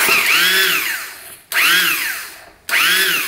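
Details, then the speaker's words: 2001 Husaberg 500 supermoto (400 frame with 500 engine swapped in), sitting about 15 years: electric starter gives three bursts of high whine, spinning freely and only grabbing the engine occasionally. "it's not grabbing anything. Oh, there we go. Grabs once in a while."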